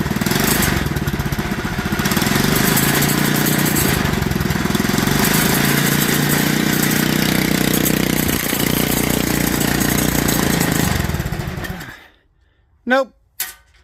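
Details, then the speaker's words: Clone GX200 196cc engine on a 68mm block, Ducar mini bike, after a new plug, retorqued head bolts and float check: chugs unevenly for about eleven seconds, then stalls. Owner suspects a bad head with worn valve seats. "I never should have expected the valve seats to be any good I should have pulled it down and tried to rebuild it before ever putting it on this thing my bet is it's a bad head"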